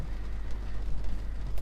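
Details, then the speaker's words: BMW E60/E61/E63 N52/N53 six-cylinder first cold start after sitting all night in rain, closed loop with raised idle: low steady hum, dead straight with no fluctuation or rough idle; normal smooth cold idle. "we'll just let it get warm but as you can see the Idol is sitting dead dead they're dead straight no flap tations even this is from cold star"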